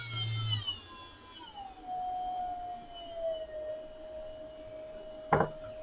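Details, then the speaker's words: Brushless motor from a Ridgid Gen 5 drill with failed control board, run on a separate cheap BLDC speed controller at 18 V: pure whine slides down in pitch then holds a steady hum, no rattle or grinding; motor healthy. "i definitely felt like nothing was wrong with the motor and looks like that hunch was right"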